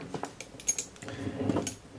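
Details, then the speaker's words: M14/M1A rifle with the gas lock lined up and the gas plug torqued down. The gas cylinder, rocked by hand on the barrel, gives light irregular metallic clicks: it is loose and the splines need tightening. "when I have a gas lock lined up and I have a gas plug torque down I'm able to get and grab the gas cylinder and wiggle it on the barrel you can hear it clicking around in there"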